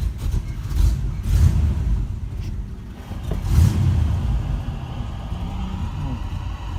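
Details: 1985 Oldsmobile Cutlass 442 test start after a starter replacement (the old gear wasn't retracting and kept hitting the flywheel): the engine catches into a steady low rumble with no grinding or clashing from the starter gear; runs healthy.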